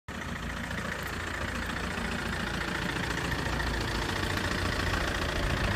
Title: Clicking noise sounds very bad and loud after the accident